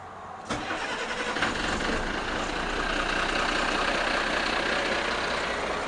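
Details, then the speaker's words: Turbo Ford/Brazil 6.6L mechanical-injection diesel, no intercooler, starter recently replaced: starter catches at once and settles into steady even idle with no stumbling; normal cold start, always starts well though smoky and power falls off just off idle. "she's always started really well"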